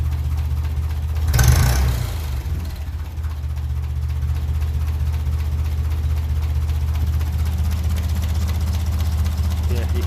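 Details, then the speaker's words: 1957 Ferguson 35 TVO tractor, tick-over adjustment: slow, loping idle at roughly four beats a second with the fan belt whir audible over the engine; idle speed set too low before being raised. "and that's too low so up she comes say you can nearly you nearly should hear the fan belt over the engine and you bring it down that low you near can"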